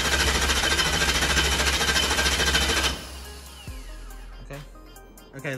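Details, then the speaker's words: Truck just converted from gasoline to methanol, with a belt-driven fuel pump, cranked with the ignition off to prime the fuel system: fast, even starter churn at about 3.5 beats a second, no firing, then stops. "so we're gonna prime the fuel pump real fast so all he's going to do right now is ignition is gonna be off and we're just going to turn them just parting the motor over to I'll tell you to stop"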